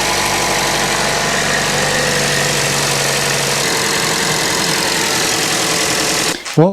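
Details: Chevy Cruze 1.4L at idle right after replacing a leaking valve cover gasket: steady, even idle with a fast light patter, no knocks or misses; no leaks seen, engine sounds healthy.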